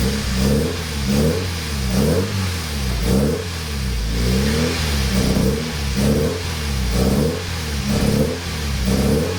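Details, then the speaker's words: 1994 Nissan 240SX convertible with cheap non-NGK spark plugs and two vacuum leaks. Repeated throttle blips, each rev rising and falling unevenly with a ragged, stumbling note; it runs rough and barely idles. "So it lives. It does not run the best, but we also have very cheap spark plugs in it right now because nobody had any NGKs in stock. So runs good enough for now, at least idles ish."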